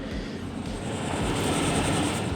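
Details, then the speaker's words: Airtronic heater after white-smoke repair, running with microphone placed near it. Steady, even roar with no surging, popping or misfire and no smoke; burning cleanly and working normally. "So yeah, the heater is starting, no smoke, not even a little bit."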